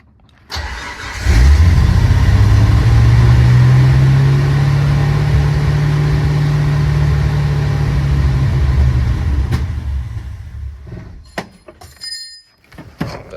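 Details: Chinese-made Motorcraft 2150 carburettor on a first start attempt, choke not wired, battery booster: engine catches and runs lumpy and uneven around 200 beats a minute with a heavy low thud, then dies; carb far too rich, smoke afterwards.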